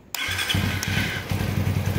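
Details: Suzuki FU150 injection motorcycle after repairing its TA Racing high-pressure fuel pump: engine fires at once and settles into a quick, even single-cylinder putter with no misses; fuel pressure about 3.5 bar, starts and idles normally.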